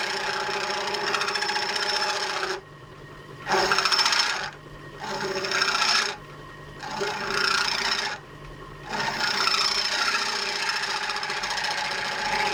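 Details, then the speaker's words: Lathe turning a gear knob for a Kawasaki GT550 bobber, tool height being adjusted: harsh rasping buzz in bursts during each pass, uneven chattery cut. Tool chatter. "Let's have a look at the cut is making. Yeah, it's pretty uneven and chattery."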